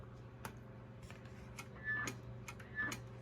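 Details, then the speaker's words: Pearce Simpson Cheetah SSB 23-channel CB radio (1972-73, same PC board as Courier Gladiator), first power-up in at least 21 years: soft, isolated transmit relay clicks on key-up, much quieter than the last Gladiator; normal transmit relay click. "Oh my gosh. That's so quiet. This is considerably quieter than the last Gladiator that I had."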